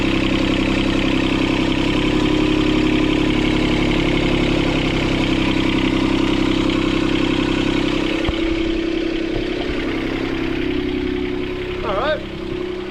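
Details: Sailboat port diesel after repairing four engine mounts snapped by a log strike. Steady, fast clatter holding well above normal idle; the throttle cable bracket was bent when the engine jumped forward 3-4 cm.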